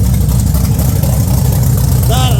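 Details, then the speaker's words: Holden VT Clubsport V8 after its injectors were cleaned: starts really nicely and idles with a deep, even burble and steady beat, no popping or stumbling; clean, smooth idle. "so it's um yeah it started really nice now after I've cleaned all those injectors beautiful"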